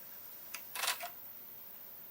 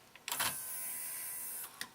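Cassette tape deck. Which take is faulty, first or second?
second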